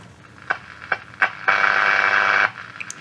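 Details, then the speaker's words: 1963 Romanian Carmen 2 radio under restoration, after fitting a 470 mica capacitor to get the oscillator working: clicks then a steady high whistle as the dial moves, tuning in stations midafternoon; working receiver tuning tones. "now it's very that's the middle of the afternoon so don't expect to get much here yeah but it is tuning"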